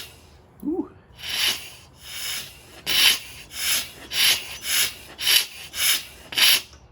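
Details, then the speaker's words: Mazda RX7 13B rotary in a Locost 7 project, chuff test turning the rotor by hand with a socket tool; even airy chuffs about every half second, each strong and alike, so compression sounds healthy; one port blows, the other sucks. "sounds like a steam train right i'm gonna stick my fingers over one of them and see what happens"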